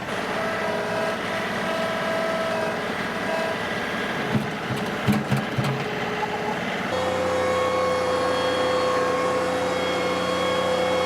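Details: John Deere 2038R compact tractor pushing soil hard during backfill, microphone worn by the operator: steady engine drone, then a constant whine rises under full load; normal hydrostatic transmission whine.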